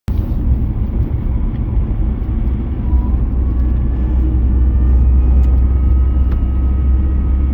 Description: navara d40 2.5 Whining noise. starts after 1500rpm seems to quieten down a bit of 2000rpm.